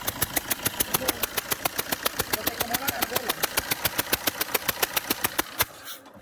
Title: Engine sound that loses compression through the gasket of an injector Fiat multijet